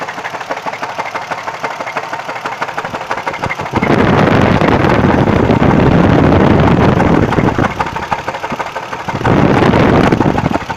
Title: What is this knocking noise